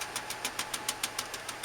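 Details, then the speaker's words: 2001 Ford E250 van with V8 Triton engine, sound checked at the exhaust at idle: sharp regular pops, about seven a second, from a dead misfiring cylinder. Traced to a failed ignition coil pack; spark plugs and coil packs replaced. "It has that popping noise. You've got a bad cylinder and you need to find out which cylinder is the problem."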